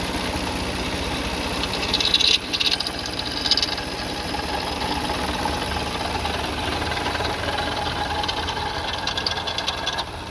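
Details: Car engine at idle, no leaks seen on the cover; light, steady knock and rattle riding over the engine; worn water pump bearing, timing belt kit and pulleys being checked.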